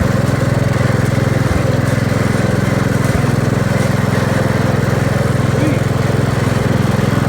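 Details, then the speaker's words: 1969 Gravely 432, Kohler K321 single-cylinder, first start after rebuild, sat about four years unused: steady idle thump with an odd soft putt breaking the beat. Slight misfire at idle; owner suspects the points need cleaning, unconfirmed. "[Applause] all right so it's a success there's a little bit of a putt to it but I probably need to clean the points or something"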